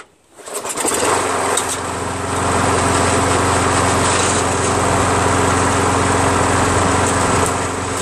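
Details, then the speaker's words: Toro Recycler 22" Personal Pace 20068 mower, Briggs auto-choke engine with replacement carburetor, drive engaged: steady engine with uneven rattling tick underneath; self-propel transmission gears suspected broken, engine also burning some oil. "I'm trying the transmission it's right it's bust that sounds like the yeah so I think the gears are all screwed up in the transmission"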